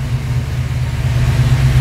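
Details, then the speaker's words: Warm (200°F) engine with FiTech fuel-injection throttle body fires straight away and settles into an even low rumble after the keyed-on 12 V power during cranking was fixed; a clean, quick hot start, faster than ever before. "oh my god this is so awesome wow the car has never ever started that quickly cold or hot"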